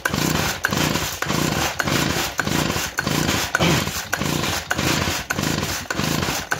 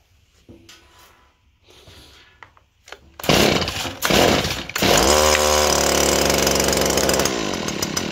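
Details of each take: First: Compression test on a small two-stroke engine known to run great; repeated recoil pulls about one a second, rasping whirr with no firing; gauge reads under 10 PSI, low compression reading. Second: Small two-stroke engine that gave a very low compression gauge reading (about 20 PSI or less); after choke and priming, quick pull catches, revs crisp and settles to a steady high buzz; normal running despite low compression test.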